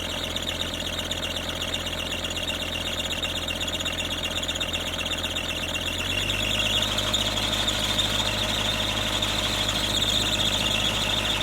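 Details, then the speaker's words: Kubota KX121-3 excavator diesel running: steady high-pitched squeal from a worn, slipping drive belt; owner suspects the water pump/fan belt, and the machine also overheats; fixed by replacing the water pump and A/C belts. "I have um an issue with the machine if you didn't realize on that first clip that I showed that it squeals a lot and um this is an ongoing thing and I'm pretty sure it's related to the Belt that drives the water pump"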